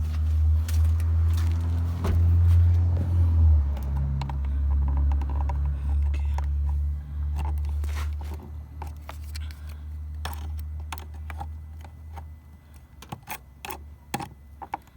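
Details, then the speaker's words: 2017 Chevrolet Malibu LT that only clicked after sitting three days, now jump-started; engine catches and settles into a steady, even low hum; the cause was a dead battery, not the starter. "this is it start it up it's not the uh not the starter it's just the battery"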